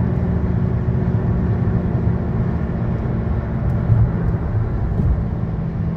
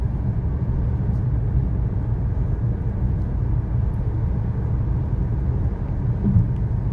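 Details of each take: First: 2013 Chevy Sonic, 75,000 miles, driving: steady low droning hum over road rumble from a bad left front wheel bearing, passenger-side bearing new. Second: 2013 Chevy Sonic, 75,000 miles, road test after replacing both front wheel bearings and lower ball joints: only smooth, even road rumble at steady speed, no growl or hum; bearings quiet and healthy.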